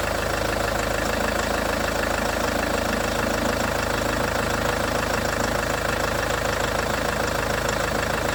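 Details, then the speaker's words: Range Rover Evoque after auxiliary belt tensioner/pulley replacement: steady, even idle with a smooth regular beat and no rattle from the belt area; normal idle, sounds better than before. "That sounds better, doesn't it? God for that."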